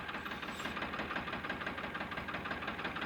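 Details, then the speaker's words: Diesel tractor at idle during the injector pipe loosening test: steady clatter about three beats per second with an uneven knock; loosening this pipe does not change the sound, so the problem may be in this cylinder; misfire. "तो इसका जो account है यह हम इसको deal करेंगे तो इसका साउंड को चेंज नहीं हो रहा है तो हो सकता है इसमें प्रॉब्लम हो"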